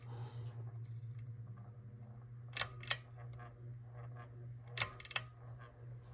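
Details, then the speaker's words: Heritage 42-inch Riviera ceiling fan, secondhand from a Habitat ReStore, on low speed: steady low motor hum with scattered sharp ticks every second or two; everything is tight, owner suspects something loose inside; clicking noise on low. "Makes a little bit of noise, not sure why. Everything's tight, but it might be something loose inside."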